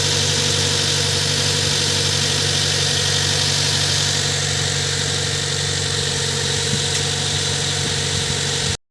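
Engine fires and settles into a steady, even idle with a smooth hum and no knocks or misses; sounds healthy.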